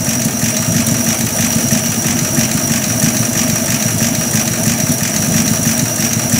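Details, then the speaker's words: Buick Roadmaster during final tuning, idle around 480–500 rpm while the idle mixture screws are set between lean and rich: a low, steady, even idle loafing along with no misses, called not too bad. "not too bad of an idol right there"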